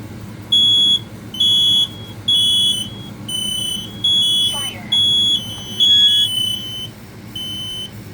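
Loud high-pitched horn in even half-second bursts, roughly one a second, with several alarms sounding together; the alarms are working normally.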